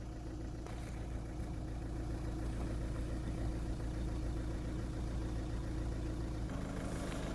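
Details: 2009 VW Golf 1.6 TDI (CAYB, 90 bhp) after replacing a faulty number 2 injector that caused codes P0203/P0606: a steady, even diesel idle with no misfire or stumble, no dash warning lights, a normal healthy idle.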